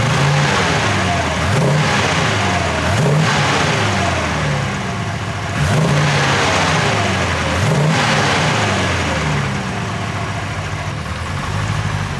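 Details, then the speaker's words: Porsche 928 V8, warm, after rebuild and oil change to better oil: revs up and settles in even, smooth sweeps; the earlier constant valve tick, heard by stethoscope around cylinders 5 to 7, is completely gone. "but wow does that engine sound smoother before I had the tick tick tick tick all the time from one of the the valves"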